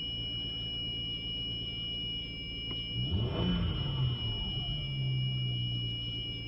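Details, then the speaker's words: 2003 Audi Allroad 2.7T pulling away on early-morning cold start: constant high thin whine over a quiet engine, not following rpm, lasting about two minutes then stopping; fine rest of day. Cause unknown. Whine on cold start. "you know how it doesn't change with uh rpm continue to go like this for about two minutes and and only in the early morning when i first started"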